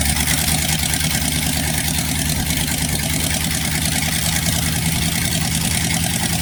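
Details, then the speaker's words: 1960s Chevy 327 V8 after a full rebuild: smooth, even idle with a steady low rumble and no knocks or ticks, oil pressure good, timing needing no adjustment; normal idle. "Like you can see, our wonderful friend, Mr. Div's engine is running. Oil pressure. Everything's perfect. Engine sounds good."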